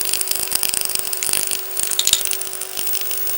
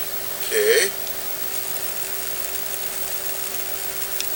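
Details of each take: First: Sanyo 5-TC1 Cadnica portable B/W TV (c. 1965), power supply and sound amplifier repaired with silicon output transistors: speaker gives irregular crackling and popping, with a very faint tone sent through the RF buried underneath. Sound quality still needs work. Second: Sanyo 5-TC1 Cadnica portable B/W TV (c. 1965): a steady, clean mid-pitch test tone injected at the preamp transistor base plays from the speaker without crackle or distortion. The repaired audio output stage, using silicon instead of germanium output transistors, is working.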